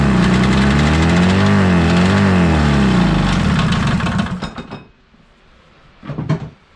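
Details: 1983 Polaris Indy Trail 440 two-stroke snowmobile, barn find revival: fires and revs unevenly for a few seconds with wavering pitch, then stumbles and dies; owner suspects running too rich, possibly gasoline in chain case oil; unconfirmed.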